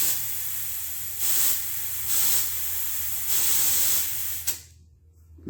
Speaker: you'll hear a lot of air hissing that's because the tube was completely flattened but the entire cavity of this tire was basically had air in it right so as the tube starts to grow it pushes all that air out